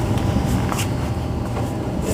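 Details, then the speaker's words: Goodman furnace draft induction blower, old motor before replacement, steady low rough rumbling drone: noisy draft inducer motor. "I don't know how many of you have seen my previous video on the noisy draught induction motor as you can hear it is still riding in there"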